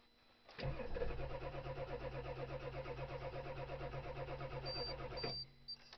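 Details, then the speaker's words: Diesel cold start at about 20 degrees, fourth crank after glow plugs, smoke seen outside: starter cranks steadily at about three beats a second for five seconds but never fires. Worse than the day before; owner will try plugging it in. "Cold start video. Fourth crank. This is glow plug. I see smoke outside. This is retarded. This is worse than yesterday."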